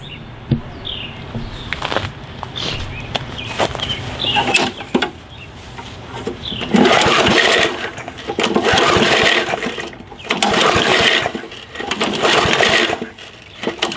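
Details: Gas lawn mower that won't start: repeated recoil pulls, each a short whir that dies with no firing. Suspected cause is stored fuel left without treatment, water-oxidizing the carburetor orifices and blocking fuel flow.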